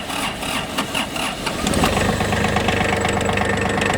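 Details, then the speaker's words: Hinomoto CX19 Japanese three-cylinder diesel mini tractor, 609 engine hours, no oil leaks, started with clutch depressed after glow plug lamp went out. Brief cranking, then it catches cleanly into an even, steady idle with no misses or knocks. "И все, трактор запустился и работает. Двигатель работает ровно."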